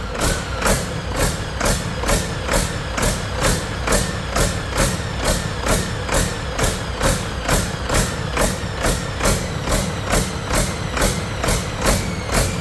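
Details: Detroit 40 series generator turbo diesel (rebranded Navistar DT466, possibly DT530), sat outside 5+ years, run briefly without coolant: steady pulse about two swells a second, no knocking, at no load; owner suspects flywheel governor hunting, unconfirmed.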